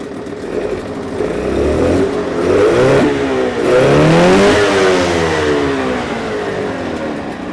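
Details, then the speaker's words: Suzuki DT6/DT8 two-stroke outboard with a Chinese walk-behind-tractor carburetor fitted, in gear: revs up and settles back smoothly, pitch following throttle with no stumbling; holds both max and idle rpm, no fuel overflowing; runs well. "Включаем передачу. Обороты держит как максимальные, так и холостые, и ничего не переливает."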